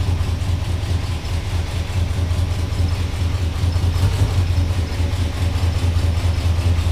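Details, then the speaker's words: 1978 Ford F-150 with 460 V8, exhaust hose attached: lumpy, uneven idle with a low pulsing chuff stumbling every few beats; a steady misfire. "you guys can kind of see how it's running a little shitty noises you want all right guys so as you heard in the uh when we were just running it a little bit ago we've got a miss"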